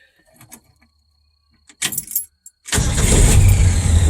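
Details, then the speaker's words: 1978 Ford F100, about 80,000 original miles claimed, in neutral: brief crank, lights right off with no hesitation, settles into loud steady low rumble; normal cold start. "absolutely lights right off no hesitation at all there was the radio she sounds good"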